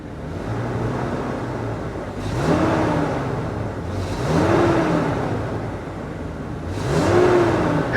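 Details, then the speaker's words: Old base-model salvage van with a V10, jump-started at auction; three throttle blips from idle rise and fall cleanly with no knocks or rattles, so the engine sounds healthy. "it's good she sounds good I mean not to sound surprised but I'm yeah I'm surprised I didn't expect that"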